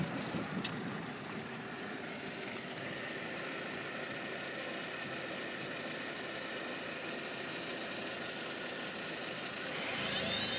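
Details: 2005 Audi A4 1.8T on cold start: steady loud high whine from below the passenger-side headlight, gone once driving; the secondary air injection pump was failing, fixed by replacing it.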